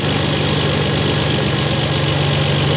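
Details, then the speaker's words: Dodge L-head flathead in a vintage off-road wrecker, new MaxxECU Mini EFI, idle screw adjusted: smooth, even hum at about 1,000 rpm, idle air duty 8%, 14 V, no knocks or misses; normal idle. "can hear the air bleed working in the carburetor now. Let's go back to the computer and check it. So our RPM is just about 1,000 where we want it."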